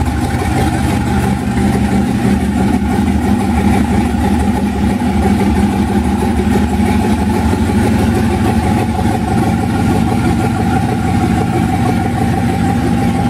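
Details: 1991 Mazda B2200 with rebuilt 6.0 LQ4 V8 swap, twin turbos, 80lb injectors, stock 2002 GM computer on 2-bar SD base map, first startup with good oil pressure: deep, steady V8 burble with slightly uneven pulse; rough running on untuned base fuel map.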